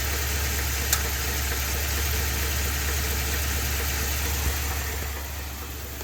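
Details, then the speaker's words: Ford F-250 with 7.3 L Godzilla gasoline V8, after the dealer's repair and return: steady low idle with a faint, regular knock about three per second from the bottom end. Dealer said keep driving; still noisy, engine later replaced. "he started it up and it does not sound good they literally told him to keep driving it and here's that clip right there"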